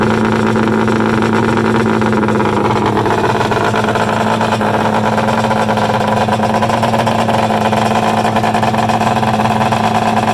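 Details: Freshly built Polaris 800 Storm mega-mod two-stroke triple, run outdoors on an early heat cycle after a water bypass. A loud, crackling steady note with rough popping and a couple of little backfires; the throttle cable is catching the built-in kill switch.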